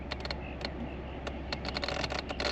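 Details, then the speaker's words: 1984 Toyota Celica Supra P-type, 98k miles, 5-speed, in cabin: irregular light ticking clicks over quiet hum when automatic climate control temperature setting selected, not on low; attributed to age micro-cracks in solder, automatic mode usually not working. "so this the system in the automatic mode will usually not work and it'll make clicking noises"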